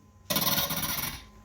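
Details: Corroded Delta faucet, hard to turn: a raspy squeal lasting about a second as the handle turns, then stops; corrosion and buildup damaging the handle threads.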